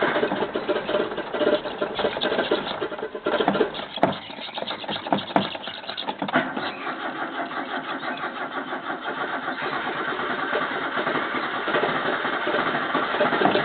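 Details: 1985 Toyota Corolla after carburettor problems, choke likely not on: several seconds of uneven stumbling cranking and catching before settling into steady idle; hard start.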